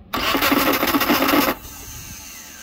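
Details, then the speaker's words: 1987 Suzuki Samurai tin top with 2.0L engine, battery charger attached: harsh buzzing grind about 1.5 seconds as key turned, engine never catches, starter not engaging cleanly; slightly better but still not right, owner suspects starter, unconfirmed. "that seemed to be better but still not right H like I said I know that starter works on a 2 L cuz it was in my 2 L"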